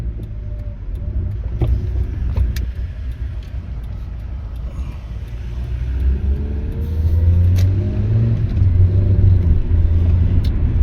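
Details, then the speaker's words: 2003 Mitsubishi Lancer ES on test drive after replacing ignition coils: smooth, even engine note climbing steadily under throttle with road rumble, no stumbles or misfire; normal acceleration. "So, one thing that's good is it's no longer misfiring now after changing the ignition coils."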